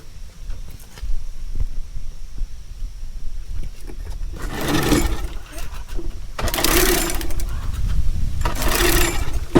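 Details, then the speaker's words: Small pull-start engine, oil checked, starting fluid sprayed into carburetor: three pull-start rasps, never fires even once; owner suspects no ignition, spark plug to be checked next. "it should have at least started if it was getting ignition it would have started and died for however long that starter flu would have lasted it would have ran but we're not even getting that"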